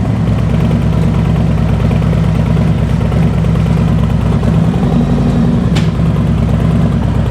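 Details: 2021 Harley-Davidson Road King on a cold day around 38°F, heard from the rear: deep, even V-twin idle with a steady low lope and no knocks or ticks; the engine sounds healthy.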